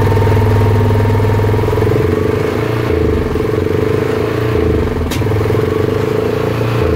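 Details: Repaired Yamaha Rhino 660 UTV, likely a 2008, put in high gear with throttle; it previously sputtered, cut out and missed only in gear, traced to the speed sensor or its wiring. Steady, even drone with no stumble or sputter; smooth running under load.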